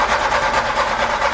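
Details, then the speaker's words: Non-running pink 1990 VW Cabriolet after the distributor was reinstalled and roughly static-timed without timing marks: even starter churning at about six beats a second, no cylinder catching. It cranks but won't fire; the distributor bolt is left loose to turn it. "All right, so that's not working. So I've left the bolt holding the distributor down a little loose so I can turn it."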